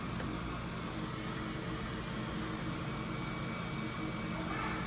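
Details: A.O. Smith Cyclone BTH 120 condensing water heater after an ignition failure was fixed, gas valve open and flame lit: quiet even inducer fan whoosh holding steady, no rattle or squeal; inducer running normally.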